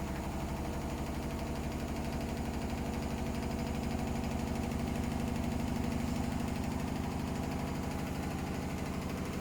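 Steady low rumbling spin with a heavy thump about three times a second, the drum clearly running out of balance.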